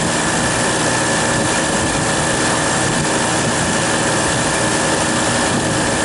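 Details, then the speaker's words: Refrigeration condensing unit in freezing cold, with a crankcase heater added to the liquid receiver so the low-pressure control cuts in: the compressor pumps down with an even, steady hum and hiss, no knocks, cutting out at 0 psi. Normal compressor pump-down. "and she should start pumping down for us it's pretty cold up here my hands are freezing okay she's pumping down now"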